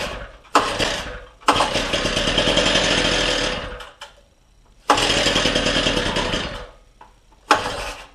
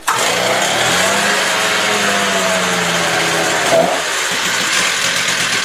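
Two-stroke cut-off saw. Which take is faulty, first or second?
first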